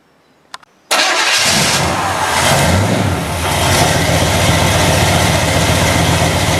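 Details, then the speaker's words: Chevy 350 V8 with TH350 transmission, first start after refresh and distributor re-install: cranks, catches and settles into a loud, lumpy uneven idle; timing thought slightly too advanced, oil on headers burning off and smoking; timing to be retarded. "I think is just a little too advanced. We got oil that was on all the headers and stuff, so that's all burning off. Gotta adjust that timing back."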